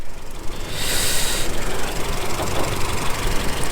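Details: Renault Twingo 1.2 petrol with 115,000 miles, bonnet open: a low, steady idle murmur with a brief hiss early on and no knock or misfire; idle normal, possible old rocker cover gasket oil leak noted.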